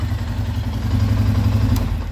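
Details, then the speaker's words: 2012 Arctic Cat EFI ATV after a blinking no-start, fixed by unplugging and cleaning a connector: starts fine and settles into a low, steady, even idle with no knocks or misses. "so it starts just fine everything is working right now"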